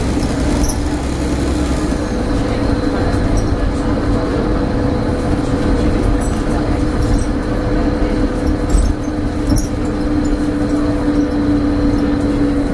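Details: Stagecoach Cumbria Optare Solo bus 47020 (PO51 WLK) in service between Whitehaven and Workington, May 2015: a constant mid-pitched hum drones over the diesel and road rumble while driving; a loud humming noise with its source unknown.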